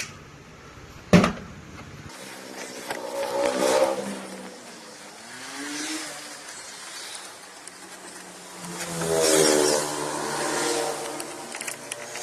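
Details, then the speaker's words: Tata Nano power window motor after cleaning stuck brushes: two short, smooth runs with even hum rising and falling cleanly, no grinding or stalling; repaired motor works normally. "വണ്ടിയുടെ ഇതില് connection കൊടുത്തിട്ട് check ചെയ്യാണ് ഇപ് work ആകുന്നുണ്ട്"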